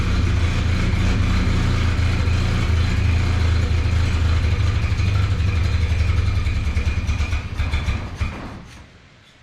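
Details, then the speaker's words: Old Model TT not run in years, fuel poured in with makeshift setup: runs rough, then fades and stalls around eight seconds; not picking up fuel from tank, fuel pump needs work. "Ah, she should have sucked up by now. Nah, it's not picking up fuel. So, we're going to have to screw up the fuel pump."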